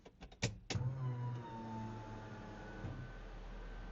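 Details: Mic at the fuel pump of a RHD 1990 Honda CRX SiR with reportedly built B20B block, GSR head, ITBs: a couple of clicks at key-on, then a steady low electric hum for a few seconds as the pump primes normally.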